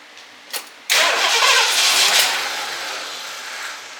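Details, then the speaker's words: 1978 Lincoln Continental 460 big-block V8 revived after 15 years stored, carburetor float stuck and overflowing, old bad fuel, fuel pump off: a short crank, then a rough rushing burst that never fires steadily and fades; flooded, then runs out of gas. "Now we flooded. Oh crap. Ran out of gas."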